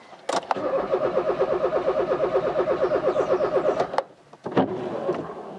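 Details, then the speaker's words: Rover 216 Convertible during MOT prep: steady starter cranking about three beats a second for several seconds, never fires; fuel pump not heard running, earth fault suspected, not confirmed. "come on quentin why have you stopped again [Laughter] i can't hear the pump again i don't believe it i cannot hear the pump yet again"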